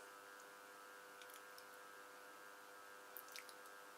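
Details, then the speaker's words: Fan motor run through a 220V AC 4000W SCR variable voltage regulator (not a Variac): turned down to low speed, it gives a buzzy, gritty electrical hum, which fades as the voltage is raised to full. "so yep that's turning slower but can you hear the humming now i'll turn it up slowly it is getting faster that's full on now on the controller let's turn it down starts humming all straight away i'm quite surprised"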